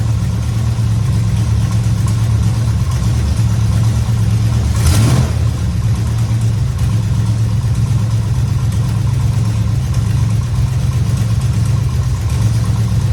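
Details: 1969 Dodge Charger at idle after power steering work (belt on below fan, fluid topped up, system bled with wheels off ground): steady low rumble, no pump whine or groan; power steering working normally.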